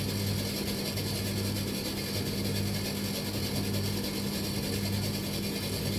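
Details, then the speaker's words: Machine with a belt-driven drum, no heat, on low heat: a loose, uneven mechanical clatter under the steady motor hum, traced to underneath at the back; not a jockey wheel; source still being traced. "Okay, it's definitely coming from back down here. It's sounding more underneath"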